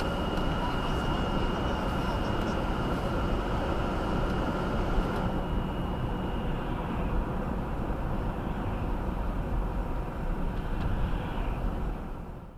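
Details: 2018 Subaru Outback 2.5i Premium, 28K miles, cold first drive at about 10°F; thin high whine over the engine holds steady then slides down as revs drop, stops off throttle, not under hard acceleration; source unconfirmed.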